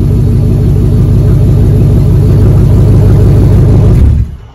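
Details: 2004 Dodge Ram 1500 Hemi 5.7 V8 after muffler and resonator delete, straight pipe fitted underneath; deep loud steady rumble and burble with no ticks or knocks; healthy engine, loud straight-pipe exhaust.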